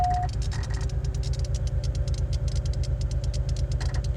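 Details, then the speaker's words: 2002 Chevrolet Monte Carlo V6 at idle: uneven, lumpy thumping about three beats a second, more than one cylinder misfiring; cheap online injectors installed and suspected. "well let's go ahead and start it up that's definitely more than one cylinder is fire"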